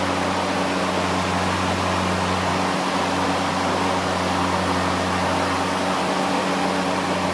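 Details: EGO LM2142SP 21" dual-battery brushless self-propelled mower, new out of the box with mulcher fitted, switched on once: smooth, even electric hum with steady low tone and airy blade whoosh, no rattles or surges; normal running.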